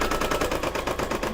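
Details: Brother DZ 820E embroidery machine, second use, stitching an applique mug rug after rewinding the bobbin: rapid, even stitching clatter at about eight beats a second, no snags or knocking; stitching properly.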